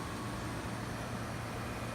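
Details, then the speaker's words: 5500 BTU window air conditioner compressor started on a Samlex 600 W pure sine wave inverter (1000 W surge); steady low hum, no stumbling, battery voltage dipping from 12 to 11.9 V under load. "Okay, compressor came on, I could hear it. It started up no problem."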